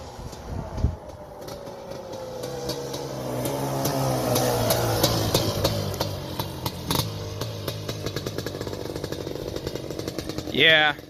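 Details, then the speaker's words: Suzuki LT250R two-stroke ATV, heard being ridden for the first time: revs rise then stutter into choppy, uneven popping under load instead of a clean pull, plus an odd noise; owner suspects main jet size, not confirmed. "so I don't know if you can hear in the video, but it says it's kind of breaking up pretty bad."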